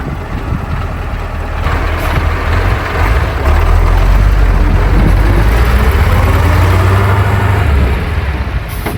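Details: KamAZ diesel fire truck after replacing two of six air brake chambers, idling to warm up after start: steady low diesel rumble with no hissing leaks or pulsing; the brakes work and the truck runs normally.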